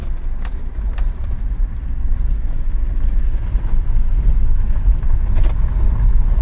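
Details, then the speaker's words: 2007 BMW X3 3.0si towed in unable to exceed 5 mph with tapping/rattle, Valvetronic servomotor, VANOS and tank-venting codes; after codes cleared and a connector disturbed, car pulls away quietly with steady rumble, no rattle or hesitation; normal acceleration. "oh man guys it sounds really quiet now we don't have a rattle i don't hear rattle"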